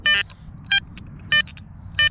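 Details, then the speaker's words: Garrett Apex metal detector, iron separation test with a quarter: four clean, crisp beeps about 0.6 s apart over a quiet background, a strong, clear target tone, a normal target response. "that sounds really good there direction three it's still there we can definitely hear it"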